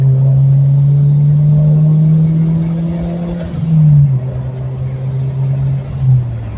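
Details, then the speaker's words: Turbocharged manual Mazdaspeed Protege on street pulls at 1/2–3/4 throttle, about 6–7 psi boost, after sealing a pinhole exhaust leak in a mid-pipe weld: deep drone climbing, settling and rising after the shift, no puffing or ticking, normal turbo exhaust note. "man this thing sounds so good now that I got that exhaust leaked up"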